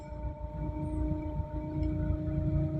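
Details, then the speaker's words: Quiet, steady idle with soft low rumble and stable RPM from a Nissan Sentra B12 SGX, running again after carburetor cleaning following nine months of not starting. "stable naman yung kanyang RPM Ayan umaandar na siya nagawa din nating paandarin"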